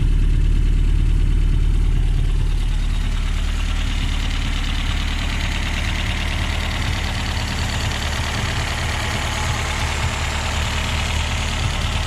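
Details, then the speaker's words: 1969 Reliant Regal 850cc engine on test after hours of tinkering: steady tickover at about 220 beats a minute, no knocks or misses. Water pump pulley sits about 5–6 mm out of line with the crank pulley. Normal idle. "after a few hours of tinkering and messing around we found that this engine does tick over nice"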